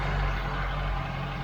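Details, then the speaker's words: Mk3 Ford Cortina just fitted with Accuspark electronic ignition, timing reading 40 degrees and being brought back: a deep idle rumble that wavers instead of holding steady. Erratic idle; an air leak (perhaps the PCV valve pipe) or carburettor setting is suspected. "just erratic, and that's normally when the air's. It's either that or the carburettor needs setting."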